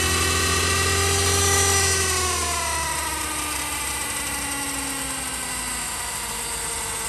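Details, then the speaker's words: Chevrolet Cruze 1.8 automatic transmission: loud jet-like whine whose pitch slides down as speed drops, over the engine note; broken transmission internals, transmission oil leaking and wetting the gearbox, oil level still full. "Nó đang kêu như máy bay này."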